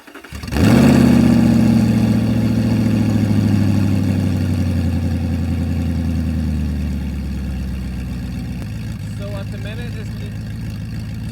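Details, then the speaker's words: Crashed Audi R8, mufflers removed, cold start: engine catches and roars to a fast cold idle, very loud and raw, about 83–85 dB on meter (35 dB ambient), later over 100 dB revving. Loud exhaust, muffler removed. "So, at the minute, it's reading about 83 85 dibels. But wait, wait till I wrap this. It's It's like a aeroplane, I swear."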